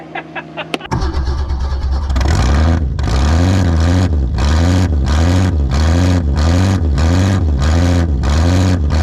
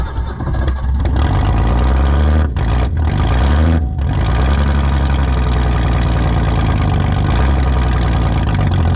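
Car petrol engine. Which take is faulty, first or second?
second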